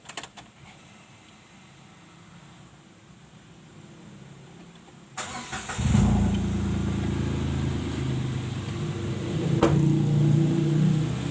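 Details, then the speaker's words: Datsun just after an engine oil and oil filter change: quiet until the engine catches at about five seconds, then a steady even idle with a smooth low hum and no knocks; normal idle. "Ini nanti kalau sudah mesin hidup, oli akan masuk ke filter oli. Oke, kita tinggal coba hidupkan ya."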